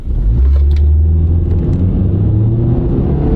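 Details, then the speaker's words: Honda Accord with CVT, eco mode off, hard acceleration: deep steady engine drone climbing smoothly with variable valve timing kicking in, no misses or knocks; engine healthy, though wheel bearings are noisy and need replacing. "okay that was a veryable valve timing kicking in look at that still goes perfectly fine and I do have to say for a CVT transmission that's pretty good acceleration"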